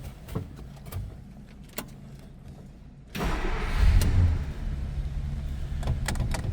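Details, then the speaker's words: 1950 Plymouth Deluxe sedan: brief crank, fires right up and settles into a quiet, even idle with no knocks or misses; normal start, nice throttle response. "right up, very quiet also. Nice throttle response."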